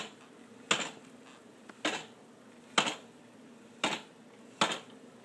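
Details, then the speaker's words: 2012 Honda CBR1000RR, engine off, in first gear with clutch pulled while rolling the bike: sharp single knocks about once a second until it hooks up, gone in neutral; source unknown. "it happens when it's on first gear and I just hold the uh clutch and then once I move the tire this sound I haven't really noticed it before"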